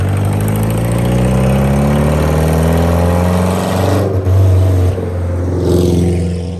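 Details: Subaru 2.5RS abandoned about 20 years, after fixing the driveshaft rubbing on the rear differential and bleeding the clutch: it drives up to 4th gear with a steady low drone and smooth shifts, no clunks or grinding.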